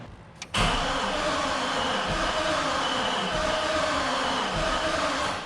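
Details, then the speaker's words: Chevrolet Silverado pickup bought sitting, battery fully trickle-charged: starter spins engine at a steady, even pace about five seconds, never fires; crank no start, no spark, grounds to be cleaned next. "I'm really frustrated. I cannot get this thing to make spark."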